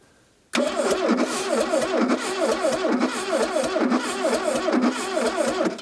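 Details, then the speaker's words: 1982 Plymouth TC3 (Horizon), unrun for 32 years, first start attempt with fuel added: laboured, uneven slow cranking that never catches; owner suspects it is not spinning fast enough or was given too much gas, timing possibly off. "I don't know if it's spinning fast enough I might have put way too much gas in there too"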